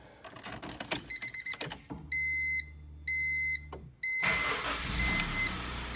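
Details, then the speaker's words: Honda CR-V B20B after head gasket replacement and timing belt, mechanical and ignition timing set: a few chimes, short crank, catches at once and settles into a steady, even run; normal start-up. "Starts right up, no problems."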